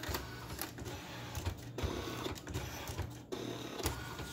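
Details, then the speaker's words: Refurbished ALPS MD-1500 printer printing a test page after loading black, cyan, yellow and magenta ribbon cartridges: uneven bursts of clattering and whirring with irregular gaps, possibly feeding multiple sheets; abnormal operation, cause unknown. "Or more than one piece of paper, I can't tell. And I can already tell that something is wrong."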